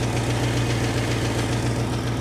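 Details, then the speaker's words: 1969 Ford Mustang Mach 1, 351 Windsor small-block V8, after period performance upgrades and a faulty solenoid replaced: low idle throb with a fast, loud light tick each turn, valvetrain-type click of uncertain origin; cause unconfirmed. "I've still got a very noticeably loud click. Can you hear it?"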